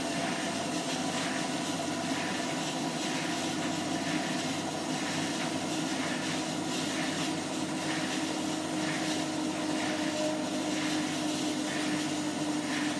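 Steady spin rush with a faint squeak recurring roughly once a second over the drum; something is rubbing on spin, cause not pinned down. Cause suspected, not confirmed.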